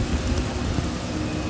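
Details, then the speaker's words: Carbureted Piaggio Vespa LX scooter after servicing: short, even, smooth low putter at an idle set near 1,370 rpm (1,400 spec). It had been hard starting with an unstable idle and heavy fuel use (6 L/100 km, now about 3). "tiếng máy xe đã ngủ rất là êm Rất là nhẹ"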